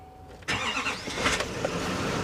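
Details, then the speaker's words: Duramax diesel pickup with front-end damage, listed start-but-not-drive, on a low-looking battery: quick crank, fires right up and settles into a steady even idle with no misses or knocks, no check lights; normal diesel start and idle. "fire right up sounds good too"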